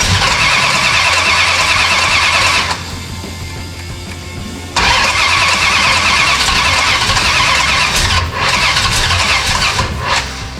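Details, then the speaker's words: 1969 Dodge Charger General Lee, freshly installed engine, starting attempt with gas dumped into the carburetor: starter turns about three beats a second, then drags and stops as the battery goes dead; slow cranking, weak battery. "Battery's going dead. We're almost there."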